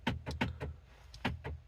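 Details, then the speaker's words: MG ZS door lock, unlocking works only intermittently on one door: short buzzing clunks in two bursts about every fifth of a second as the actuator in the door cycles. "Can I hear the... Yeah, I can hear the actuator in the door. Oh, what? What the heck?"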